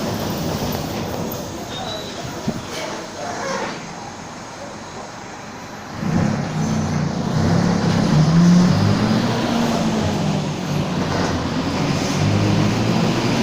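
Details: Torino 2007 bus on an OF-1722M chassis, line 314, recorded 19/11/2018, driving: a droning tone rises and holds with road speed over the engine rumble; roaring (roncando), worn differential whine.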